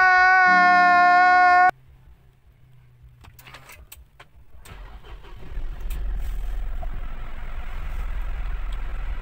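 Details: Mitsubishi Montero after an engine bay wash, battery reconnected, in park with push-button start: quiet pause, then the engine catches and settles into a steady, even idle with no stumbling or knocking; no check engine light.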